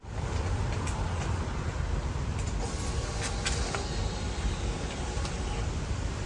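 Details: Suzuki SV650 twin after rebuild, ignition repaired, idling with stock exhaust before a 230 mm aftermarket exhaust is fitted: soft, steady low rumble, even beat, no ticks or knocks; healthy normal idle.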